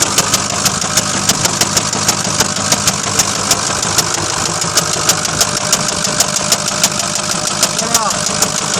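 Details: Ford F450 6.0 Powerstroke diesel at 136K miles idling: sharp, steady knock about three times a second over the clatter; owner unsure whether rod, injector, valve or HPOP.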